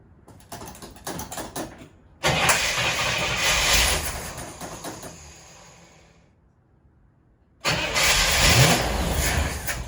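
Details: Car cranks but won't start despite spark at the coil and plug 1 (other plugs unchecked); fuel seems present but appears exhausted while cranking. Starter spins the engine in long even bursts with pauses, never catching or firing: crank, no start.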